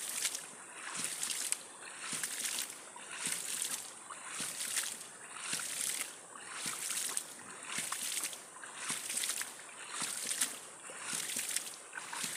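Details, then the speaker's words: Electricity-free hydram ram pump restarted with waste valve stroke set to 1.5 cm; steady watery clack-and-surge cycle just under once a second, evenly paced; running normally. "Sudah hidup lagi teman-teman."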